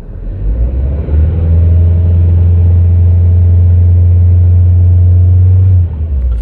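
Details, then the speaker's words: Audi A1 salvage car with an MOT emissions fault and a replaced O2 sensor, idling after the original spark plugs were refitted in place of new, possibly wrong-type plugs: steady, even low rumble with no lumpiness or misfire; normal idle. "so i've put the original ones back in and it seems to it's not lumpy"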